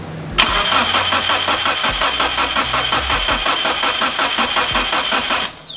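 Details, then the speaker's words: Mitsubishi Evo 8 first start attempt in five years: starter cranks steadily about five seconds with even chug and no firing; oil pressure present but fuel pressure reading 0; crank no-start. "We're not starting. We have oil pressure though, so that's good. Why no start?"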